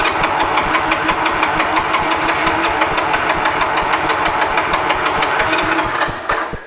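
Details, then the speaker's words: 1986 Honda TRX 125 ATV, spark confirmed, on reserve fuel, cranking: starter whirs with uneven chuffing about three strokes a second, never catches; owner suspects carburetor not picking up fuel. "I was hoping it would fire without having to do anything crazy, but I mean, who knows what the carburetor looks like. I mean, maybe it's not picking up any fuel."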